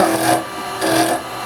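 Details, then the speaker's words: Lathe turning a small resin bowl with a carbide chisel, cutting off the tip for an aggressive cut: two harsh rasping bursts over the lathe hum, audibly different when cutting the resin; aggressive carbide cut on resin. "I want an aggressive cut, I can just go in off the tip like this. You see, you can hear the difference when it's cutting that resin."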